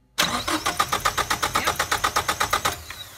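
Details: 1989 Ford Probe GT 2.2 L turbo intercooled, crank-no-start: steady starter cranking about four compressions a second, never catching. New fuel pump, spark strong, timing correct, fuel reaching rail and injector signal present; owner suspects gummed-up fuel injectors.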